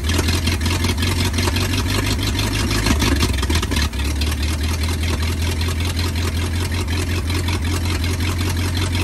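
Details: 1939 Ford 1.5-ton truck, flathead V8 parked about 65 years, new condenser, wired directly to battery, water added: deep steady even idle rumble, no knocks; idles and runs pretty good, carburetor a little weak.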